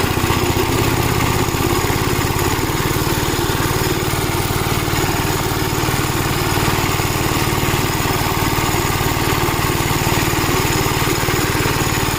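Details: Gravely Model L tractor with governed single-cylinder engine, after replacement of a blown head gasket: strong, regular thump at constant governed speed with no misses or hunting; runs really good, though an oil leak is still being traced.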